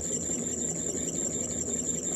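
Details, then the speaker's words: Ford Model A generator spun on the bench as a motor: thin steady squeal over low roar from dry or worn rear bearing with no oiling point; needs disassembly. Generator bearing squeal. "the bearings in it are are either dry or or Square cuz you could hear a little Roar to it and it's this back one that's really doing it but there's no uh there's there's no place to uh oil it or grease it"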